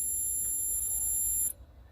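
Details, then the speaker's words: Taramps HD3000 amplifier module that won't work: at power-on the blue LEDs light and it gives a steady, very high-pitched whine for about 1.5 seconds. It then cuts off, goes to red LED, the fan starts, and it enters protection mode. "Quando a gente liga ele, ele acende os LEDs ali normal, led azul, faz esse barulho."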